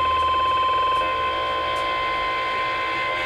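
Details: CB radio on AM in central Iowa, channels 15 to 20: hiss with a steady high whistle and fast regular ticking, about four per second; the interference wanders between channels, started 20 minutes earlier, source unknown.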